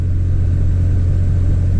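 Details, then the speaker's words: 2003 Chevy Trailblazer LTZ 4x4 4.2 I6, after new valve cover and intake gaskets, plugs and coils for a P0305 misfire: steady, even low hum, idle a little high, no stumble or shaking. Normal idle. "so right now it's still idling a little high there's no shaking at all anybody has a trailblazer knows that they shake a little bit there's nothing but the idle's still a little high"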